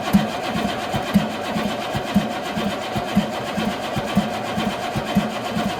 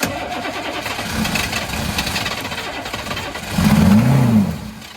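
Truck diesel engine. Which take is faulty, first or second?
first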